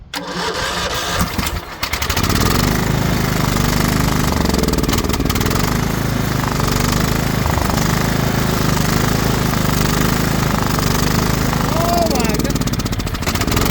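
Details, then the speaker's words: Craftsman LT2000 riding mower, battery dead so jump-started from another tractor, spark confirmed: steady starter churn, engine turning over evenly but never firing; cranks without starting because the tank is out of fuel. "Oh, ain't got no gas in it."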